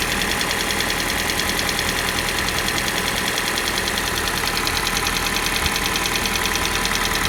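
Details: Kia Soul G4NA engine idling cold: fast, steady ticking knock roughly three per second on the engine hum; knocking when cold, source unclear.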